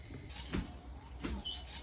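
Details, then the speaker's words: 2001 Ford Taurus SEL with a replacement junkyard windshield wiper motor assembly, replacing one with a snapped linkage bar. It was tested unbolted on power: a low motor hum with a soft thump at each sweep reversal about every 0.7 s; both wipers working normally. "So it appears to be working, that one and that one. So looks like we made a good purchase."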